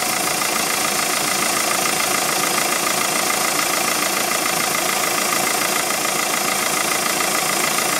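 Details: 2007 VW Golf 2.0 TDI BMM with DPF, 4Motion, 136,500 km, idling: steady hiss pulsing about three times a second; exhaust smell at standstill leaking into the cabin; cause unknown.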